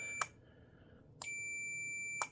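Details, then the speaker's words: Custom Arduino master clock wind-regulation circuit, input touched to ground: the slave clock relay clicks, a voltmeter continuity beep holds about one second, then a second click; contacts close properly, with a two-second retrigger fail-safe. "basically right now I'm touching this to ground and you can hear the clicking of the relay as well as the beep so you know it is making contact"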